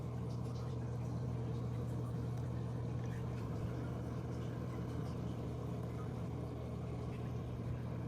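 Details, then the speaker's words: Fluval FX6 canister filter after cleaning to cure buzzing: quiet steady low hum, no pinging or tapping; motor running smoothly, as quiet as the other filter. "it yeah sounds as quiet as the other one"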